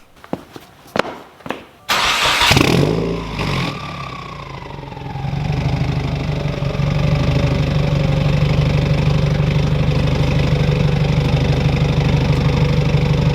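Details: Subaru WRX with turbo and straight-piped exhaust, after fixing a rattle from a bolt knocking the rear sway bar: starter cranks, engine catches with a rev flare, then settles to an even, steady idle with no rattle or tapping; normal idle.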